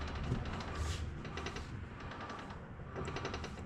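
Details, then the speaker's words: Subaru WRX jacked up, front wheels spun by hand: faint irregular light clicks or chatter in short clusters; front differential suspected, linked to grinding when selecting first gear; not confirmed. "So, right now we're spinning the front wheels by hand. You can hear the chatter or the clicking."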